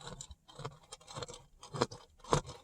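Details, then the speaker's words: Subwoofer pushed far beyond its power limit: irregular scraping and crunching bursts each time the cone moves, no clean tone; the voice coil overheated, came undone and rubs. A recone kit is planned. "so when it did work good oh did you guys hear that that coil rub"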